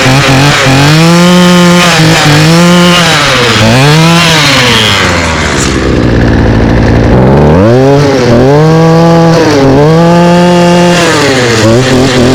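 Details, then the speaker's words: Two-stroke string trimmer that started on the first pull and runs on "true feel" fuel, which is guessed to have made the difference: a crisp buzz that blips up and down cleanly without stumbling. "so as you can hear it runs all right um I guess that true feel really made it difference"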